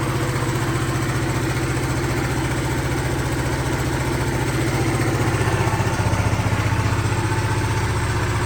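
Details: 1974 Honda XL250 single, reported 60 psi compression, running after carburetor pilot jet cleaning, no throttle: steady, even thumping idle with no misses, knocks or hunting; engine runs smoothly.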